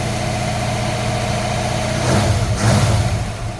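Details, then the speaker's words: Cold-started V8 with an Edelbrock carburetor, left alone for years because it runs well: smooth, even idle with a brief throttle blip, no misses, knocks, stumbles or smoke in the shop. Normal idle. "A good running engine. You see it's not spilling the shop with smoke or nothing. It's a good running engine."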